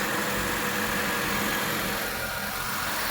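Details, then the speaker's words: TSX idling with the wheel turned after the power steering pump sucking noise was fixed by new o-rings and clamps: steady, even idle with no whine or groan. Normal power steering operation. "so it was a success and to get rid of the noise that it looked like i really looked at him the clamps and the o-ring"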